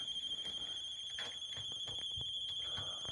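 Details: Steady high piercing electronic alarm tone sounding continuously with faint irregular ticks underneath, heard outdoors; it had not been going off 20 minutes earlier, source unknown, owner guesses a sewer alarm — unidentified alarm sounding.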